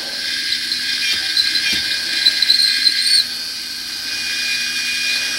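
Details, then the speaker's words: Trimming 5.56 military brass cases with a case cutter: scratchy chatter while cutting eases after a few seconds into an even high-pitched hiss as the cutter reaches its stop and runs smooth. "you might even be able to hear that kind of chattering as it's cutting it down once it sounds all smooth it"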